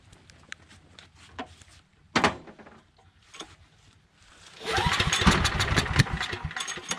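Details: Briggs & Stratton Storm Responder 5500/8250 generator with replacement carburetor, switched on after earlier fuel problem: a few pull-cord attempts, then it catches and settles into a steady busy running note; starts and runs fine.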